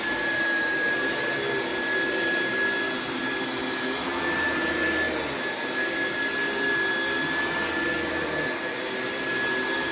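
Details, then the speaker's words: Classic Oreck upright with no height adjustment on thick carpet: steady loud motor roar with a sagging whine near 1.7 kHz; the brush roll bogs down, loading the belt and giving a slight burning smell. "you could hear it agitating as i pulled it back but the brush rolls just bog down on these and it causes a lot of wear and tear on the belts"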